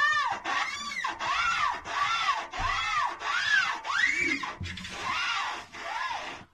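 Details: Haier front-load washing machine: rising-and-falling squeal about every 0.6 s as drum is rocked; tripod not broken, not shock absorbers or door seal — drum rubbing squeak, cause undisclosed, later fixed.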